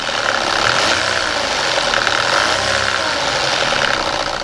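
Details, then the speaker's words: Audi A4, bought as a non-runner, freshly serviced and MOT'd, noise stopping its sale: engine running with a busy, rattly metallic clatter, upper-mid heavy, timing chain slap from a stretched chain. "This one noise is stopping me from being able to sell this Audi A4."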